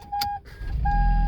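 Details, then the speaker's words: Toyota Prius started with the properly coded RFID key after another key failed: a clear beep, then a steady tone over a low hum; car reaches Ready and the security light stops blinking, a normal start. "and your toyota prius will start and notice the security light is no longer blinking"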